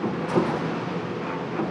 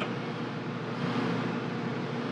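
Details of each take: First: Amana dryer that had stopped spinning, after drive belt replacement: even, steady tumbling rumble with no squeal, thump or scraping; drum turns smoothly, rotation restored. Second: Amana dryer, timer set and started: steady, even motor hum with no tumbling or thumping from the drum; the drum is not spinning, and a broken drive belt is replaced.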